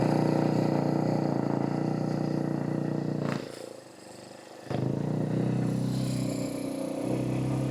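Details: 2014 Kawasaki KX250F single-cylinder four-stroke, first start after fitting a full exhaust with OEM muffler, idles fast and revs with a crisp, steady exhaust note, one brief drop between blips; normal running, sounds healthy.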